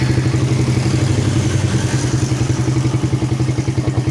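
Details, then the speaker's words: Suzuki Satria FU 150 single-cylinder after valve clearance adjustment and road test: steady, even thumping idle with a regular beat and no ticking or misses. Starts easily and drops back quickly to a stable idle after revving. "The initial start is also good and we try to make the engine growl. The position of the gas down is fast and remains stable."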